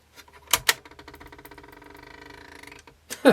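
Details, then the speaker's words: 1998 Sony TC-WE305 dual cassette deck: clunks, then a fast, thin mechanical chatter as the motor runs but perished drive belts slip, so neither take-up nor capstan turns; belts replaced. "doesn't sound too good. And no take up, no capstan. I can hear the motor going though."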